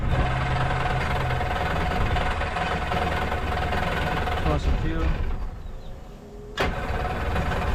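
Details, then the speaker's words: Jet boat engine with freshly rebuilt carbs, on a water hose: steady low beat dips briefly when shifted into forward with the jet spinning, then picks back up and runs cleanly; running real good. "I'm going to go ahead and shut her get this water hose off she's running she's running real good too oh that's amazing that's amazing"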